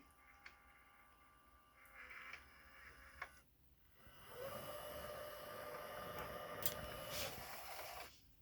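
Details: Sony DVP-CX985V DVD/CD changer after replacing both belts (carousel and disc mechanism): a few soft clicks, then a steady small-motor whir for about four seconds as the tray runs out smoothly; mechanism healthy.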